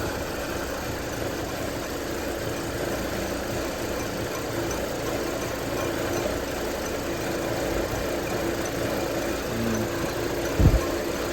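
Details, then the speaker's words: 2008 Hummer H3 petrol engine just started, not yet at operating temperature, read with scanner live data: uneven stumbling idle instead of a smooth hum; rough idle, cause suspected, not confirmed. "Hear how the engine's kind of like stumbling."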